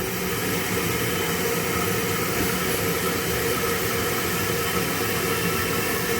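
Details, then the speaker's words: Toilet tank refilling after a new Fluidmaster fill valve replaced an old one that kept running; steady, even, fairly quiet hiss of water with no whistling, quieter than the old valve, a normal fill valve refill. "so this is the oil field line right here [Music] pretty quiet compared to the old one"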